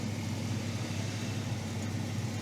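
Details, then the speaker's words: 1962 Ford Thunderbird V8 idling with a steady, deep rumble and no belt squeak after a slipping belt was fixed by fitting the new alternator's textured pulley and one belt; charging now reads 14.3–14.4 V. "So, it's able to actually bite on the pulley and now we have no squeak."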